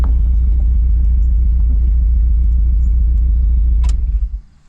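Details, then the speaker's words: Project Miata engine on the road to a cars and coffee event, losing power and dying; heavy lumpy low rumble pulsing unevenly three to four times a second, then fading out: misfire and power loss, engine later found blown, cause not yet known. "i started noticing a lot of uh lost power and i realized that the engine was dying at this point"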